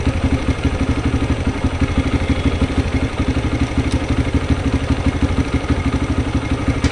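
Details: TVS Raider motorcycle with an engine sound problem: loud, uneven clattering at idle, about three pulses a second, with a rough tappety edge; cause suspected, not confirmed.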